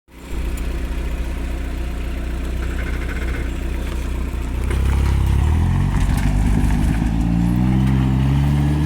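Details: Toyota pickup 22R-TE, T3/T4 turbo at 8 psi, hi-flow cat, no muffler: deep rumbling idle with raspy brrr rising as revs climb; much of it from an exhaust leak at the wastegate.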